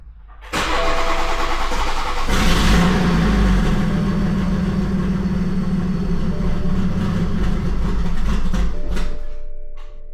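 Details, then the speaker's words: BMW 340i single turbo, first start-up on an MHD Plus base map: starter cranks briefly, engine catches and idles steadily about seven seconds, then dies on its own; stalls after starting, log sent to tuner. "Okay. Car turned off. Try to log that for the tuner. See what happens when I turn it on again. Dies right away."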